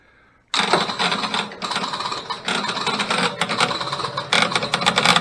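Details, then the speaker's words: 1972 Bally Fireball pinball after reassembly: score reset motor whirs nonstop with rapid, uneven relay and reel clatter, continually trying to reset scores though reels read zero; owner suspects misadjusted score-reel zero-position points. "see the motor keeps trying to keep running and it keeps trying to reset the scores so usually that's an indication that there is a zero position on these score reels here"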